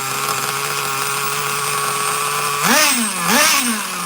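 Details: Traxxas Nitro Slash nitro engine on the bench: a steady raised buzz at rest, then two quick blips. Idle sits too high because the throttle linkage is slightly off and holding the carburetor a little open.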